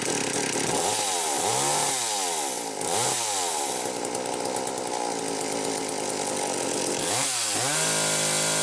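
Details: McCulloch Power 320 two-stroke chainsaw on a test run after a loose pulse hose was found and fixed, revving up and down cleanly then holding a steady high buzz with no stumbling or bogging; normal running.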